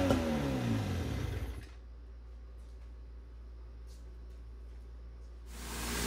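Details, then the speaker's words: 1972 Johnson 6R-72D 6 hp two-stroke outboard, gas/two-stroke oil mix sprayed into the carb: rough, busy burst of running for about 1.5 seconds, then cuts out; fires on the primed fuel. "I put a little bit of gas and two stroke oil mix from my tank in this bottle here and then sprayed it into the carb and ripped that pole handle and as you guys heard she fired right off"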